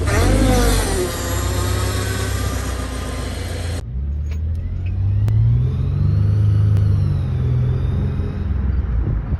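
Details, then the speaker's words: Automatic transmission: a thin high whine that rises and falls with engine speed while driving, heard especially in reverse. It is usually the planetary gears or oil pump starved by low oil, a dirty filter or restricted pump suction. Suspected, not confirmed. "El primero, si tú escuchas en tu vehículo un sonido agudo que incrementa con las revoluciones y sobre todo se escucha en reversa,"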